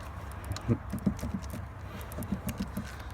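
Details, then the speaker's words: 1998–2007 Silverado/Tahoe/Yukon: soft uneven low thumps from the steering column as the wheel is worked; owner suspects the plastic steering column bearing. "But I mean you can see mine. I don't know if you can but you can hear it thumping. And that's the that plastic bearing."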